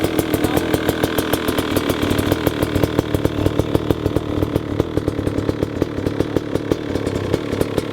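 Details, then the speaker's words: Brand-new 350cc two-stroke motorcycle, never run before, first start on the choke ahead of break-in: rough, uneven running with rapid spitting crackles and pops, rich and fully flooded, settling as it clears. "Ouais, c'est normal. Bon, j'avoue que le bruit est très Bah attends et puis là elle est engorgée à bloc."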